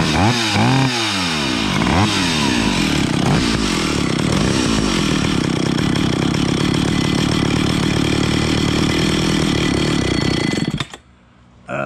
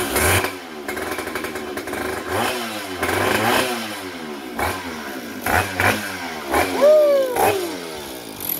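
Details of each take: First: Vintage Stihl 031AV chainsaw with rebuilt Walbro carburetor, being adjusted: revs climb to a thin screaming high-pitched whine and hold before cutting out, leaned out too much; lean running mixture. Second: Vintage Stihl 031AV chainsaw with rebuilt Walbro carburetor, started after priming fuel into the carb: buzzy two-stroke catches, revs up and down in uneven bursts, keeps running once fuel arrives; normal start and run.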